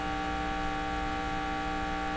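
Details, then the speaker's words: 1940s Philips PH202 tube console phonograph at full volume: constant low electrical buzz, no music; dead cartridge suspected, unconfirmed. Mains hum with no audio signal. "we're not hearing a thing that's not good we'd like to hear a little bit let me turn it right up"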